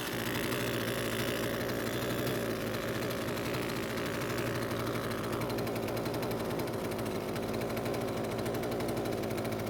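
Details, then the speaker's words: Husqvarna string trimmer two-stroke, carb nuts tightened and fuel system purged after fitting a new ignition coil, shaft and handle off, no load: released from a little over 50% throttle, buzzy revs drop to a steady idle and it keeps running instead of stalling. "So this time it didn't stop after letting go of the trigger from a little over 50% throttle, which is a great sign."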